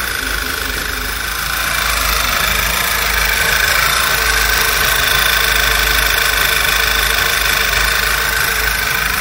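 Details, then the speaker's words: VW Passat B7 1.8 TSI petrol at idle: engine runs unevenly and jerks, with a high whistle like a squealing belt or air sucked through a small hole, worse once warm; cause a failed PCV breather with torn or sticking membrane, replaced with new. "на холостых вообще не ровно работает и свист у него есть прям свистит он когда нагреется Я попробую показать есть такой как будто ремень пищит как будто воздух где-то вот сосет маленькое отверстие"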